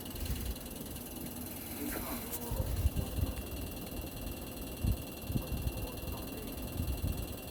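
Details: LG new-model air conditioner outdoor unit: fan hum with irregular low thumps and ratchet-like rattles coming and going; abnormal outdoor unit noise.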